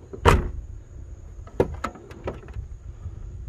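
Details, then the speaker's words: Jeep XJ door after check arm replacement, heard as one soft latch click then light taps as the door swings, with no popping or cracking through its travel: a quiet door once the new check arm is fitted. "stick all your screws back in and you're done look at that no noise isn't that great"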